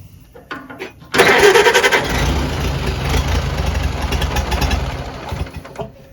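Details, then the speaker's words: Farmall BN with the magneto kill switch newly wired, in neutral, cold after long sitting: cranks, catches with a ragged uneven run for a few seconds, then dies; owner suspects magneto timing, then adjusts it. "well she fired she's cold it's been a long time let's see might be timing"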